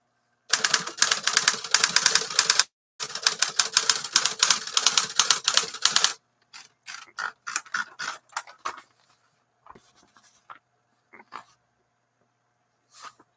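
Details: 1956 Smith-Corona 5LE electric portable typewriter after reassembly, motor previously seized: quick bursts of crisp, even key strikes with clean carriage sounds, no dragging or hesitation; normal typing.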